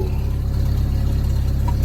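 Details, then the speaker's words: Chevy S10 drift truck idling in neutral after a tune-up with new plugs, wires and coil; a deep, even exhaust burble with an unbroken beat and no misses or knocks. It sounds much better than before. "That sounds a lot fucking better. Think we found the issue, boys."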